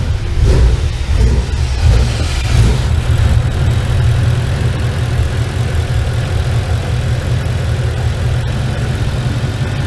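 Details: Ford Ranger with Coyote V8 that squeals like a high-pitched vacuum leak, with the crankcase vent disconnected and plugged: deep, steady idle rumble with no squeal or whistle; noise gone in this state, squeal suspected tied to the crankcase vent.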